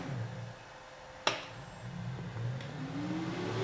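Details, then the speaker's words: Harrison universal milling machine after rewiring of inverters, switches and spindle/table interlock: a switch click, then the main spindle motor, belts off, runs in reverse with a low steady hum and a faint climbing whine. Normal spindle motor running in reverse. "Reverse the main spindle. You can't see what I'm doing, but I'm just reversing it honestly."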